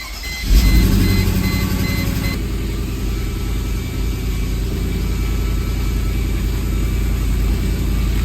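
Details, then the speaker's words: 1998 Mercedes W202 C43 AMG with misfire codes P0300, P0305 and P0307 above 3500 rpm, after new EGR, MAF and coil pack: catches and settles into smooth, even idle, no stumble; sounds remarkably better; normal running. "This sounds remarkably better now. All right, there you go. That was the problem."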